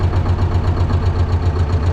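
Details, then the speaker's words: T-16MG self-propelled chassis diesel at −10°C, just started without problems using the decompressor and clutch pressed: steady low thrum with even pulses and no misses or knocks, a smooth normal idle. "well, and as you can see, we started without any problems, let it work a little now and we will go out"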